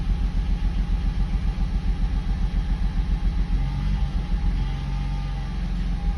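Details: Mercedes W140, sat a year and a half, no-start fixed by replacing the module that blocked start permission: deep, even idle rumble pulsing three to four times a second, no knocks or stumbles; healthy, steady running.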